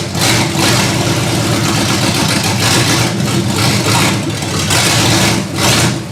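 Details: Ford Granada V8 after sitting, open headers: loud raw idle surging and sagging about every second instead of holding steady; rough idle, cause unconfirmed.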